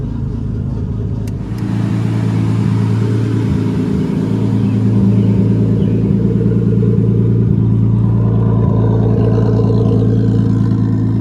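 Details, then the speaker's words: RB25 inline-six drift car just fitted with a Nissan Sentra idle air control valve and new stretched hose: steady, even idle with a firm low drone sitting a touch fast; idle still a little high and needs adjusting. "still a little bit High I need to adjust the idle"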